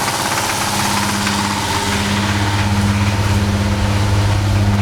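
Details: VR6 24V petrol engine idling with a steady, hollow knock in the low hum, checked by pulling coils one by one to see if the knock goes away. Rod knock is suspected.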